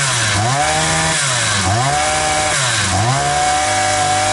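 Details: Oil-soaked two-stroke brush cutter (trimmer) in for poor starting and popping, suspected crank seals; carburetor untouched, started on choke without air filter: catches and runs, buzz rising and falling with throttle blips, then steady even run without misfires, normal.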